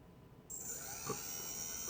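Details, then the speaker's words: Quadcopter motor 1 (CW), a faulty brushless motor: half a second of near silence, not turning at 1032 microseconds throttle, then it abruptly kicks in and runs with a harsh shrill buzzing, ticking whine. "It kicked off finally. And the obvious buzzing, ticking in there. You hear it real good when I turn it down a little bit."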